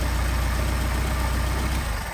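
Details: Mercedes 190SL with freshly machined Solex carburetors on test, where linkage turnbuckle adjustment changes RPM: a steady, low, even idle with smooth rhythm and no misses or hunting, fading at the end; it idles cleanly.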